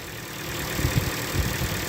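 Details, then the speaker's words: Car with no turbo, DPF or dual-mass flywheel: low, quiet, even idle hum with steady beat, no tensioner squeak, ticks or hunting; sounds super healthy. "sounds super healthy to me."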